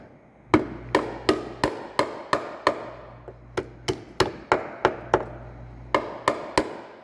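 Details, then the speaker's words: Diesel FJ Cruiser on hoist, hand tap test on body panel near growing rust hole (not the frame): good metal rings solid, rotten metal gives dull dead knock. "so good metal will sound like this bad metal will sound like this or that dull knocking noise"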